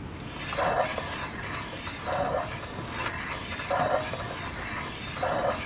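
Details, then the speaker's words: 2006 Mazda 3 2.0 four-cylinder, about 294,000 miles; hand-spun wheel gives a scraping rub about every 1.5 seconds, once per turn, as the pads catch a rotor warped too far to resurface, explaining the braking vibration and noise. "That's bad. That is not able to be resurfaced on a machine. That is so far out. That explains the strange vibration and the loud noise whenever you hit the brakes."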